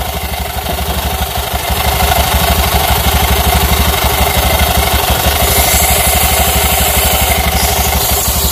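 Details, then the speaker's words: Honda Beat FI scooter, engine running at idle after repair: the engine noise is cured, but the CVT side still gives a loud, coarse, uneven rattle of about three beats a second; rough CVT noise. "kita coba hidupin suaranya tinggal di mananya sudah sembuh tinggal bagian CVT Kasar banget"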